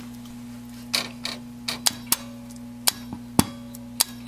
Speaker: I can hear the relay clicking it's supposed to make a noise and it is not making a noise